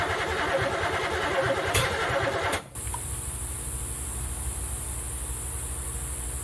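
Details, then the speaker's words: Third-gen street car with new third set of spark plug wires and EGR block-off plate, just refueled, battery dying: starter cranks in quick rhythm a couple of seconds, engine never catches. Timing uncertain; carburetor has no fuel pressure, fueling suspected. "It makes noise. We don't really know if the timing's right. We know that the carburetor doesn't have fuel pressure at all, so we know the fueling's not quite right."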